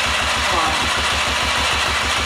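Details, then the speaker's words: Blown-up cheap quad two-stroke rebuilt with a 3D-printed carbon fiber piston, first start test while kicking: uneven popping pulses, catches briefly with smoke but won't keep running; choke setting unclear. "it sounds good yeah prob oh oh oh my gosh okay it started to run there come on oh it wants so come on come on we got smoke it's doing something"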